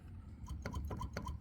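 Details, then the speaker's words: Fatar weighted-action synth keybed: a key tapped about four times a second, each sharp click with a short squeak; an already-fixed key for comparison is squeak-free, then back to the squeaky key. "I'm sure you can hear that squeaky squeaky squeaky squeaky squeaky now listen to this no squeak back to squeak"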